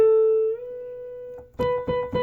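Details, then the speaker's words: Medeli SP4200 keyboard after repair: a displaced pitch bend controller had lost contact with its board, throwing the whole keyboard two half steps sharp. Held A glides smoothly up when bent, then holds steady; clean repeated notes on pitch. Working pitch bend. "why that was making a B sound. See? Now we're back on pitch. Pitch bender is now connected."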